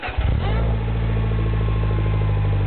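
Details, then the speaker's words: 2008 Mini Cooper Clubman S, 1.6 turbo, 6-speed, stainless Magnaflow cat-back exhaust, cold start after sitting a week, heard at the exhaust: it catches quickly into a deep, even low burble with no misses. This is a normal cold start idle. "so it's kind of got that low burble to it I like it it sounds pretty cool"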